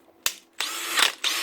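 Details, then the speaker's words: Makita DHP486 brushless cordless drill: harsh raspy grinding on spin-up after changing speed, square gear teeth not locking in; don't load it, give the trigger a quick press to engage gears; happens on new and older units. "whenever you change the speed you hear that grinding noise just don't put it on load straight away"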